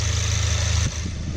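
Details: VW MK7 just after oil and filter change, new filter and cap, no leaks, left idling before dipstick check: steady smooth low hum, no knocks, misses or ticks; normal idle.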